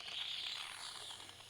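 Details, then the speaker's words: Fuel can emptying into a Kubota UTV tank with its vent not opened: steady airy hiss fading as vacuum builds and the can's sides collapse, choking flow; venting restores flow. "and you can hear that hissing I wasn't getting as much flow now I'll get much more flow with it"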